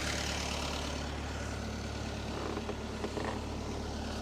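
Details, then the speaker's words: Marine diesel, not run in a while, at fast idle about 1100 RPM, water temp 160°F and oil pressure higher than its usual 50; steady low drone with no knocks or misses, normal idle. "I'm running at about 1100 RPM, and my oil pressure's up really high."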